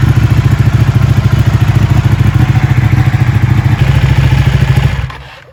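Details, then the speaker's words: Ducati Panigale 1199, first start after a rebuild with repairs and modifications, coolant cap left off to bleed air: lumpy, even V-twin beat at a steady idle with no knocks or rattles before shutting off; sounds healthy. "I'm so happy. It works. It works. It sounds amazing."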